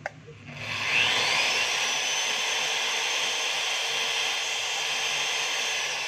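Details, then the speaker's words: DeWalt DWE1622 magnetic drill after repair restoring the magnet; previously it overloaded with a red light when switched on, now it doesn't. Motor spins up in a second to a steady high whine and holds evenly without cutting out; running normally. "So kung mapapansin nyo mga kabay, kanina, pag inon mo, pag switch mo to, nag-overload siya, nakapula. So ngayon, pag inon mo, wala na po."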